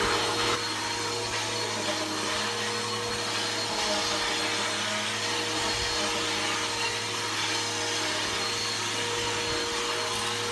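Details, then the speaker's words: Bissell PowerForce Helix 1240 upright vacuum (newer upgraded version) running on carpet: steady roar, constant hum and thin whine; brush roll bearings going out, not the motor, so the brush roll needs replacing soon. "you can hear the bearings are going out in it um not the motor the brush roll um the bearings are out in the brush roll so the brush roll need to be replaced soon"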